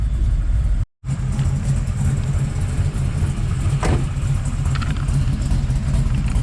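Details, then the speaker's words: 1979 Camaro Z28 V8 idling, recorded inside the car, after swapping the noisy Pete Jackson gear drive for a double roller timing chain; much quieter, running rich; maybe one slightly loose rocker; even rumble, no gear whine or rattle; normal idle. "it is so much quieter inside this vehicle we'll try to throw up a little clip to kind of show how how much quieter it is"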